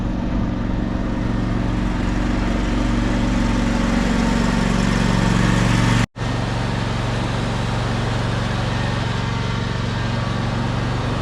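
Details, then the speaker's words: Old Modra generator with replacement carburettor, cold at about 10°: uneven, labouring idle that cuts out briefly and restarts; hard cold start and rough running, owner suspects carb jetting not suited to cold, happens every year. "I wouldn't even look at the carb today cuz this happens every year. I think it has to do with the jetting of it."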